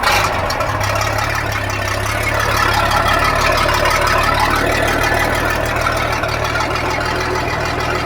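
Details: Sea Ray boat engine and sterndrive idling after repair of a seized gimbal bearing that had welded itself to the drive shaft and caused loud noise: a low, even rumble with no grinding or knocking.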